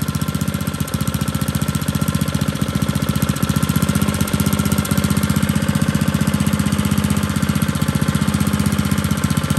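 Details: Old Tecumseh four-stroke edger engine, after opening the main jet about two turns, holds a steady, even beat near four firings a second with no misses or surging; normal running after carburetor adjustment.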